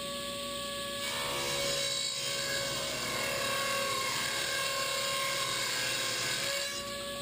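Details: 8-tooth low-kick ripping blade on a table saw ripping generic 2x4s into 1-inch stickers; steady high whir with faint flutter of individual teeth striking, different whir than other blades, no bogging or squeal: normal ripping cut.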